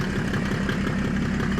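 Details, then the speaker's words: Mercedes OM606 diesel in a Land Rover build just after its first start: steady, even idle with a firm low thrum and no knocks or rattles; sounds healthy. "Yeah, she sounds nice. When that's on song, it's going to howl."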